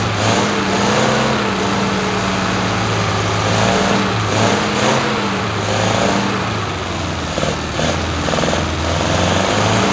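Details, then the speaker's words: 1973 MG Midget parked over 40 years, on a makeshift fuel setup still leaking gasoline: small four-cylinder runs steadily, low drone wavering slightly in speed, keeps firing; engine running. "well that's progress oh he's got gasoline running out here that's not good but it runs"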